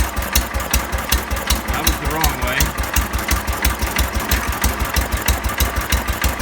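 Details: 1970 John Deere 140 that wouldn't start for lack of fuel, fired after pressurizing the gas tank by blowing into it: slow, steady low thumping with a sharp exhaust pop each beat, idling around 250–500 rpm; engine running at low idle.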